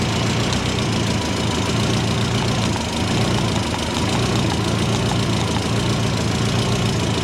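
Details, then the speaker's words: Subaru Forester with Haltech ECU at idle after reseating exhaust V-band joint; rapid chopping puff on the exhaust pulses, an exhaust leak from a small hole in a weld and probably a V-band clamp. "Bit of chopping out. coming out there. That might be coming out of the weld right there."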